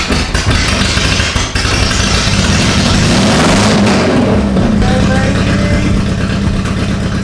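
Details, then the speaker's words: BMW E36 drift project car engine running with no exhaust fitted: loud, raw, lumpy Harley-like rumble with uneven popping, no muffling; spark plugs were black, owner suspects overfueling. "Oh, baby! I don't like the fact that it has no exhaust. Sounds like a Harley Davidson."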